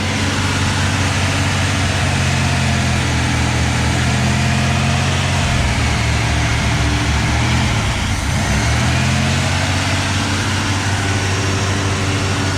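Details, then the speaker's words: 1984 Camaro Z28, L69 HO 305 V8, 700R4: loud steady drone at fast even idle with no misses after start; idle too high though idle screw backed out, throttle hung up on choke, flicking linkage reset it. "The the throttle was hung up. Something with the choke. The throttle was hung up. Flicked everything and it kind of reset itself."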